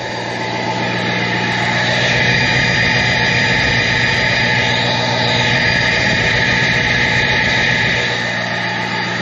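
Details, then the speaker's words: 2006 Ford F-550 4x4 with a 6.0 L diesel, previously bulletproofed, at idle: a steady, airy, jet-like rushing hiss from the exhaust. Owner suspects the catalytic converter needs cleaning or replacing; not confirmed. "Um, I think I may have to uh clean the uh or replace the um catalytic converter because the exhaust kind of sounds a bit like a jet. You're hearing a steady streaming flow out of it."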